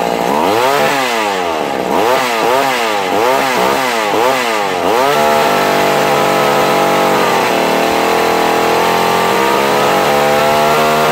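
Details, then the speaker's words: Vintage McCulloch Mac 110 chainsaw (2.0 CID), found at a dump sitting in water, running after restoration: blips up and down about five times, then holds a steady high scream with clean pickup, no stumbling; runs healthy. "Guys, yeah, my ears are fractured. It's loud."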